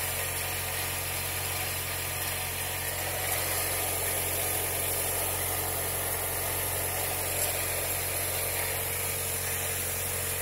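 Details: Mercedes M111.945 engine held at high rpm: constant whirring, hissing rush from the belt drive, changing when a cover is pressed; cause was a worn belt tensioner pulley bearing, fixed by replacing the pulley.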